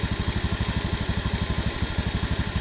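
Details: Honda Beat FI (K44) scooter losing engine oil fast with no white smoke: steady idle with fast, even light ticking from the head that sounds like a valve but isn't; worn piston and rings, scored piston skirt suspected.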